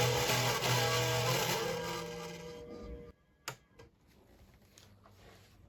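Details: Marshall MG30CFX guitar amplifier with gain and master at full: output thin, fuzzy and buzzy, then drops away; blown speaker voice coil, later replaced.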